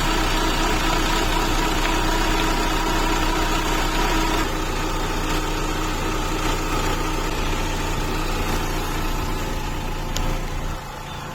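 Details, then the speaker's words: Chrysler PT Cruiser cabriolet, cold, after clearing a misfire code that had it nearly running on three cylinders: fairly steady, even idle, no misfire stumble; normal idle. "Là ça a l'air mieux. Ah oui, là c'est mieux."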